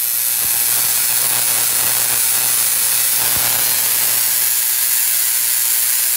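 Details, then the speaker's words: Tesla coil left unbalanced after a capacitor plate was added on top; timing is off with the spark gap set too close, giving a loud screeching, hissing discharge at the spark gap with hum and crackling pops. "so right now this is I believe up too close so you can hear it screeching over here at the spark gap"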